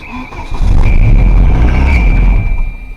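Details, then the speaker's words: Volvo 740 drift car after a cylinder head gasket install, 15W40 oil, no coolant yet, first turnover: a heavy, uneven, lumpy low rumble as it catches and runs; sounds like a bad motor, running rough. "oh that sounds like a bad motor it's raw dog"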